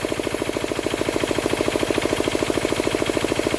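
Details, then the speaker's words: Diesel air compressor after the unloader adjustment: unloads at 150 psi and, after air is let out, cuts back in around 125–130 psi; a steady, firm pulse of about two beats a second as it loads the engine normally. "That unloader valve should close and come back on. (130 psi). There you go. So at 125 psi, that'll click back on and start charging."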